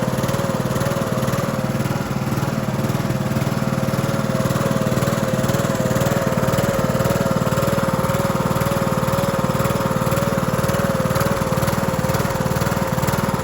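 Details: Cub Cadet LT1045 mower (276 hours) repowered after its engine cracked its case and locked up; start of the replacement engine on choke via jump pack gives a steady, even putter with constant mid-range drone, no skips or knocks. Running fine.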